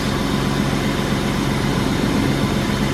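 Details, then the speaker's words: 1995 BMW E36 325i sedan, M50 inline-six, idling just after fitting a new belt (idler pulley worn but spins free): smooth, quiet, even idle with a steady low hum, no ticks, knocks or squeals. Normal healthy idle. "beautiful this is a nice sounding M50 it's quiet sweet"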